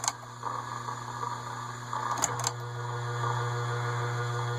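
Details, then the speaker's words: Casablanca Delta II ceiling fan, K55-type motor, stiff noisy bearings freed with WD-40 without disassembly, running without blades: steady low hum with faint rough scratchy bearing rustle as bearings work in. "Okay. You can hear the bearings working their way."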